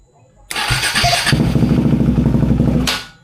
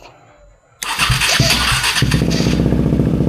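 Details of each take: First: KTM Duke 390 V2 single, sat unused over a month, fuel pump stuck and revived by tapping: catches, rough uneven idle about two seconds, then dies; first start stalled because the pump was not yet properly primed. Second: KTM Duke 390 V2 single, sat unused over a month, stuck fuel pump revived by tapping: brief crank, then fires and holds a steady even thumping idle; normal start and idle.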